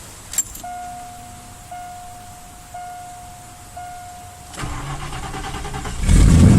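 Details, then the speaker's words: 1989 Mercury Grand Marquis, ice cold after sitting all day, 90–91 style high torque starter, door open; door chime, brief quick crank, catches at once into a steady rumble, healthy cold start. "There we go. Ice cold. Turns right over."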